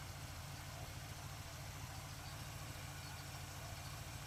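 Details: 1947 Ford street rod with a carburetor rebuilt a couple of years ago, likely gummy from disuse, on a hot day: smooth, quiet V8 burble, steady with no stumble or miss as the choke opens. Warm idle running much better.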